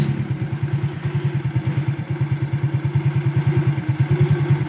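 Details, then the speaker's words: Motorcycle after fitting a new chain and sprocket set to replace a chain close to snapping: ticking idle with an even pulse about three times a second and no chain slap or rattle; the new chain now runs quiet. "So ayan guys, bali napakabit na natin yung bago nating kadena. And di na siya maingay guys."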